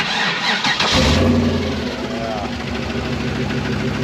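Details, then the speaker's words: Rock crawler buggy at cold start, MAP sensor off: a rough idle with a low irregular knock. The owner guesses the torque converter. The noise has been present since he bought it and goes away fully once warm; cause unknown. "so that knock that you hear knock I'm in torque converter I it's done it as long as I've owned this buggy and once it warms up that sound entirely goes away"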